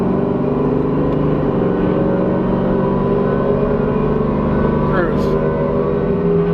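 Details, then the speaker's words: Car called the Cowmaro warming up at 41°F: a steady low hum when the transmission is off load that holds with road speed. It has been getting louder with driving; the rear end is suspected but unconfirmed. "And then when there's no load on like the trans just like right here it's humming"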